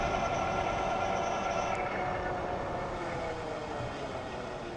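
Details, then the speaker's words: Older Euphree Stellar Falcon e-bike on throttle, microphone on rider's chest, cruising around 24 mph: steady whine with stacked tones over wind rush; ordinary hub motor noise, louder than the newer model. "I'm just gonna throttle this at this point, just so that you can hear what the motor sounds like."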